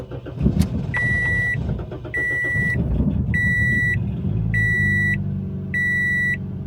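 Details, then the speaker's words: 2007 Toyota Yaris ex-police car not run in over 4 years, started with the mass airflow sensor unplugged: ragged cranking and catch, shaky low idle under repeated chimes, runs slightly better then dies; clogged injectors among suspects. "that was a really rough start but now it's running a little bit better and the car just died"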